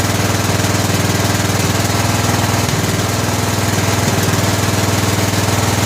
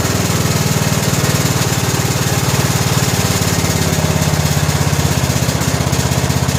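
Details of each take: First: 2000 Scotts lawn tractor built by John Deere, Briggs & Stratton Intek 17 HP overhead valve engine, after oil change; single-cylinder thumping about 200 a minute with occasional uneven pops. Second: 17 HP Briggs & Stratton Intek overhead-valve engine on a 2000 Scotts lawn tractor built by John Deere, after fitting a new correctly gapped plug: smooth, fast steady thump, no pops, even speed; popping cured, runs good.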